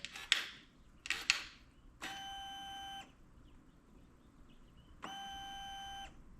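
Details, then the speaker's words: KTM/Husqvarna/Gas Gas TBI two-stroke during power valve reset with wake-up dongle at half throttle: a couple of clicks, then two steady roughly one-second buzzing hums of the fuel pump priming before the relay clicks off; normal fuel pump priming. "And there you hear the fuel pump priming. And once it's done, we can unplug this connector and wait for the relay to click off."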